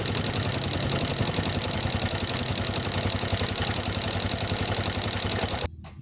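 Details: Honda Wave S110 single-cylinder at idle: quick, loose rattling clatter about three to four per second, then shut-off; worn cam chain tensioner, to be replaced.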